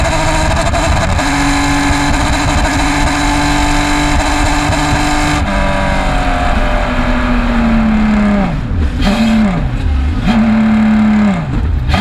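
Race engine howling at high revs, then dropping through downshifts with a rough, uneven edge under load; misfiring, cause unknown.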